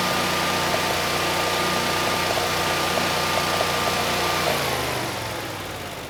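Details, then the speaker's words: Generac 20kW standby generator, GTH-999 999cc engine, making power (122 V, about 60 Hz) despite glitter in oil: steady drone with constant whine at fixed governed speed, no knocks or misses, fading out; normal run. "So, on the surface, this does seem like a good machine. You know, we have excellent compression. Uh, the engine sounds good, and we're making power."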